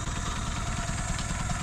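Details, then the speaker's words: 1974 BMW 2002, first start after sitting over 30 years. A low, quiet idle with a slightly uneven chuff in the beat. Rough idle is blamed on bad spark plugs. "but it's definitely got bad plugs in the what the"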